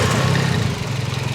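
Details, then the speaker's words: Cold idle of engine running 100% ethanol, fuel system cleaned and new coils fitted: steady even low rumble with no misses, knocks or ticks; engine sounds very healthy. "all cold stuff right the engine sounds super freaking healthy it still sounds good"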